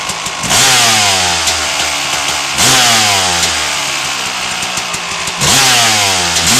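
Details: 1997 RM250 two-stroke started with choke on after its dented header pipe was repaired and painted: it catches and revs cleanly, pitch sweeping up and falling back smoothly each blip, crisp and even; healthy running engine.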